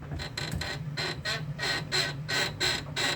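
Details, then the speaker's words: UAZ Patriot rear leaf spring: sharp creaky squeak about once a second as the body is rocked, from dry spring leaves; common problem, sometimes mistaken for silent blocks. "вот такой скрип хорош вот такой неприятный скрип это очень многих вазов"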